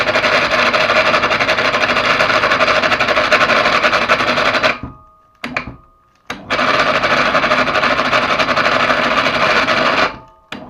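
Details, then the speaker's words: PA 250/500 mini electric hoist (telpher), new but previously waterlogged and dried; harsh rapid rubbing about four beats a second while motor runs, persisting after reassembly; brake shoes rubbing or failed motor suspected, not confirmed. "я думаю звук именно идет от вот этого элемента собираем назад звук не пропадает"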